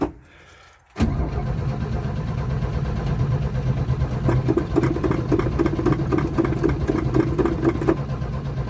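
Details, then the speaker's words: Old carbureted truck, choke pulled, in neutral, building fuel pressure: silence, then starter cranks steadily about four turns a second without catching; fuel starvation. "So, clearly, lack of fuel seems to be the problem. You would have thought, though, me spraying that ether down the carb."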